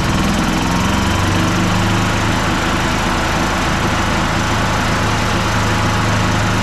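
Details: 2007 Club Car DS gas golf cart after battery replacement (new battery), engine started: small single-cylinder engine at a steady, even putter with no misses, knocks or rattles; normal running.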